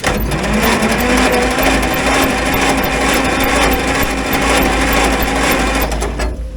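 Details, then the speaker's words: 1950s Roller engine cranked on a weakening jump pack after oil put down the cylinders: even, quick churning spin with steady beat, no binding or hesitation; free cranking, vast improvement. "the jump pack seems like it's wearing down but yeah that's that's vast Improvement definitely better than I thought it was going to be"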